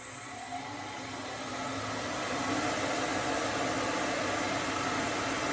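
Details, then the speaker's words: Hope Woodturning MK2 thread jig on a router at 3000 rpm, thread in beech after 3 clicks, no depth limiter, five slow turns: steady high whine with an even cutting hiss, no chatter; normal cutting. "on y va doucement je vais compter cinq tours comme je n'ai pas mis le limiteur"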